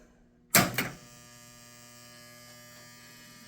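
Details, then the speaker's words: 1971 Williams Klondike pinball machine, barn-stored, first power-up after fuse correction: clunk at switch-on then steady low mains-pitch buzz; old, worn lock relay noisy while energized, not shorted. "on we have power and it's a very very noisy old lock relay doesn't seem to be shorted or anything it just seems to be old and worn out"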